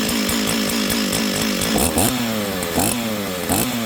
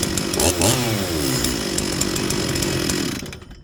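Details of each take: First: Stihl 044 chainsaw, long unused, revs up and drops unevenly with stumbles before settling to a burbling idle; low-speed mixture seems rich. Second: Stihl 044 chainsaw, rebuilt with new intake boot, impulse line, fuel line, filter, crank seals, carburettor and coil, after low-jet adjustment: strong steady two-stroke snarl, brief rev, then shut off; runs clean and even.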